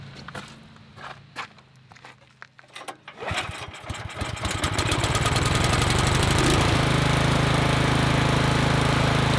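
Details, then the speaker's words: Troy-Bilt Vortex 2890 snowblower, cold start on full choke after carburetor cleaning: a few pulls, catches at about three seconds, settles into steady, even running with no surging. Fixed; the plugged low-idle jet screw, drilled clear, had caused the idle surge. "We have fixed the issue. What do they say? You don't know what you don't know? That low idle screw was plugged solid."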